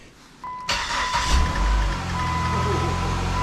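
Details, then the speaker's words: 2006 Chrysler PT Cruiser 2.4, after alternator replacement for a noise complaint: a chime sounds, the engine catches quickly and settles to a smooth, quiet idle with no whine or squeal; much quieter, normal start and idle. "Much better, guys."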